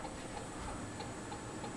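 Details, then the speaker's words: 42-inch Canarm Mystic ceiling fan (early black-motor version) running with light on, wobbles on high and in reverse: thin, regular squeak about three times a second as it turns; rhythmic squeak, cause unknown. "oh yeah this thing's making a noise I know if you can hear it but very very squeaky"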